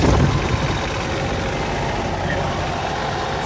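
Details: Cummins Onan 10k QD quiet diesel RV generator, brief test run with top off after oil, fuel filter, air filter, belt, valve latch, spark arrestor and coolant service: steady clatter and hum, no surging, knocking or squeal; normal generator run.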